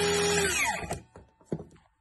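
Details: DeWalt circular saw that had no power, the switch bypassed by bridging its terminals: a high motor whine winding down in under a second, then a few handling clicks; the motor spins up and coasts freely, normal motor run.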